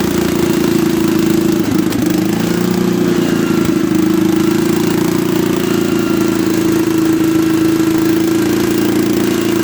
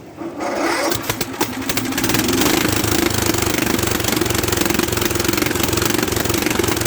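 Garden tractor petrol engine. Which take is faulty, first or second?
second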